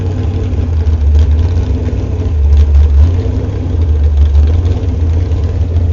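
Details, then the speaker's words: Warm Chevy 355 small block with a .480-lift hydraulic cam and open headers, just after hydraulic valve adjustment: a deep, lumpy, steady V8 rumble at idle, even and unbroken, with a lopey cam. Normal idle. "we're going to start up and so you can hear it sound we warmed it up already with muffers on"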